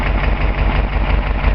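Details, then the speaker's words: 1957 Ford Fairlane 500 with a 292 V8 and four-speed, revived after long storage: steady, even low burble at idle with no knocks, misses or ticks. It runs really nice. "the motor does run really nice what i'll do is i'll crank it up and just show you that motor running"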